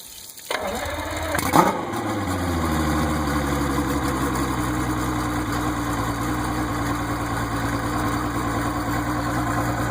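Motor catches after a brief crank, then settles into a steady, even idle with a smooth low hum; sounds healthy.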